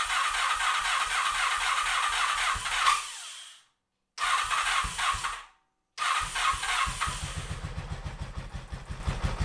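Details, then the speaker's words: 1986 Honda VF700 Magna, liquid-cooled, first run after fuel system flush and carb cleaning: slow, even cranking stops twice, then it catches and settles into a steady beat. Normal start once fuel reached all four carburetors. "it took a little cranking to get fuel to all four of the carburetors but eventually the bike did stay"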